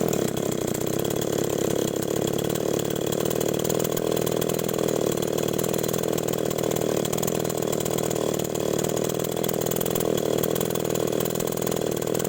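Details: Small two-stroke agricultural sprayer engine after new spark plug fitted, carburetor being checked: steady, even buzz at constant pitch with no misses or surging; runs normally.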